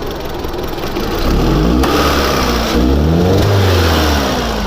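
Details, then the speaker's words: 2003 Honda Civic 1.7L, quick throttle snap with a pressure transducer in the spark plug hole: revs climb then sag slowly with a dull, choked exhaust note; 20–25 psi exhaust pressure, far too high, indicating a restricted exhaust. "20 to 25 psi on the exhaust. It's way too high."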